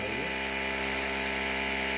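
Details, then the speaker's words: Stitching machine after repair and reassembly: the motor whirs steadily at a constant pitch with no rattle or knocking, and the earlier noise is completely gone. It is running normally again. "अब जो आवाज आ रही थी वह सब आवाज चली गई है अब एकदम पहले जैसा हो गया है"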